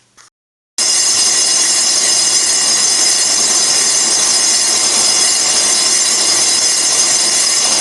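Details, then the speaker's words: Colchester Triumph 2000 lathe, 12" 4-jaw chuck, skimming a slightly oval cast-iron 1930s Studebaker front brake drum: loud, harsh, continuous high-pitched screech from tool chatter in the corner, with inserts not suited to cast iron. "oh my God that's horrible well I I guess we've uh maybe taken the glazed surface off we've got some chatter going on here in that corner"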